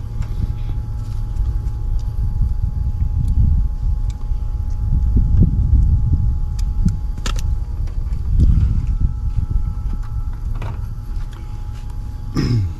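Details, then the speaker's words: Older Bryant 213A AC unit, hot day, overcharged by previous repair attempts after capacitor, thermostat and coil cleaning; deep, heavy, strained compressor drone with no cycling; sounds like high head pressure, to be confirmed with gauges. "see what happens hmm that sounds like high pressure in fact i'm gonna go get my gauges"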